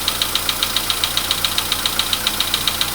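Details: VW Polo Sedan (Kaluga-built), 99,329 km, cold start with oil level checked OK: sharp even metallic ticks about 2.5 per second over quiet cold idle, "like an anvil"; internal engine knock worsening over time, cause unclear.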